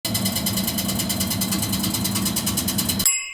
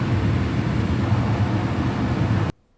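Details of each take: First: Carrier HVAC unit running: loud, fast metallic rattle over a steady blower roar, from a loose squirrel-cage blower wheel scraping its housing. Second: Carrier HVAC blower after rattling repair, cage refitted: even, steady whoosh with low hum, no scraping or rattling, then clean cut-off; normal blower operation restored.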